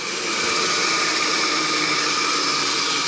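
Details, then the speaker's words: Homemade rotary phase converter from a kit making three-phase power from a single-phase shop panel for dust collection equipment, first start: idler motor reaches speed almost instantly, no hesitation, then even hum and airy fan rush; healthy start. "Okay, there wasn't even a hesitation there. Holy crap."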